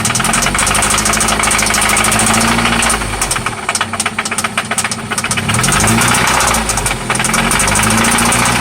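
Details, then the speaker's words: 1995 Toyota Celica ST after oil change and new spark plugs, steady idle with persistent knock about four per second seeming to come from one spot; cause unknown. Engine knock at idle. "Yeah. It's loud. Oh yeah. This is what that sounds like. It sounds like it's only coming from here though."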